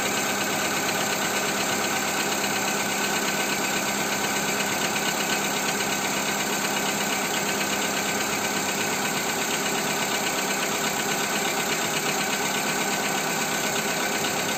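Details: Skoda Fabia 2 1.4 engine knock after Ceratec treatment: steady idle with loose, uneven tapping over a hissy background, knock persisting, cause not pinned down.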